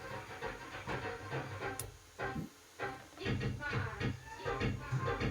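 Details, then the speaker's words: Ahuja SSA-250 250 W amplifier before repair plays MP3 music rough, crackly and blurred, getting worse at raised volume. Distorted output. "और यहां पे MP3 अगर हम play करते हैं तो ऑडियो भी आप सुन सकते हैं काफी फटाफटा आ रहा है। जिस तरीके से क्लियर आना चाहिए उस तरीके से नहीं आ रही है।"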